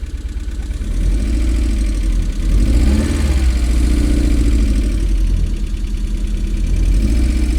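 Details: MG with a Rover engine on its second start attempt after extensive work, cold, with some smoke. It chugs with a lumpy, uneven idle; the owner suspects a misfire and running on three cylinders, not confirmed.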